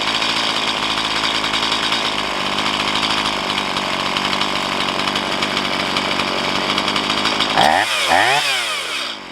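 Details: Stihl MS170 chainsaw with 16-inch bar, upgraded with Farmertec parts, after setting idle mixture and idle speed: steady crisp buzzing idle, no hunting or stalling, brief blip near end; normal idle.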